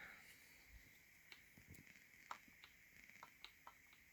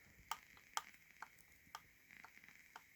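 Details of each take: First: Game controller left trigger, mushy and feels different from the right: quiet creaky clicks about two per second, always squeaking with a springy sound; cause unclear. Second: Right trigger pressed for comparison: crisp light clicks about two a second, no squeak or spring creak; normal feel, unlike the mushy, creaky left trigger.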